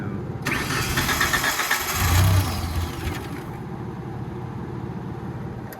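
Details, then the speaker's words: Tennant 355 ride-on floor sweeper, with choke on, fuel pump audible: steady cranking for about three seconds with no firing; fuel starvation from a stuck carburetor float needle, possibly bad gas. "You ain't got no gas, man. We ain't getting no gas to our, Our floats, our needle's stuck."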